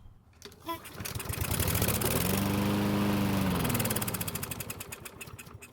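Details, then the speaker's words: Craftsman lawn mower that wouldn't start, fuel poured into carb throat: engine catches, revs a few seconds, then sags and sputters to a stop, showing spark and compression are fine; fuel starvation from a carburetor fault. "Luckily it started and ran, but it's too bad it stopped, but it should be okay because we should be able to fix this one pretty quickly. So it's either the carb or the gasoline that's the issue."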